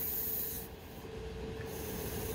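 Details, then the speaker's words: Pneumatic bleeder valve on a fan coil unit that isn't cooling: steady soft hiss of escaping air with a faint thin tone as the fitting lifts, showing control air is present at the valve. "once i pull it up a little bit you can hear the air"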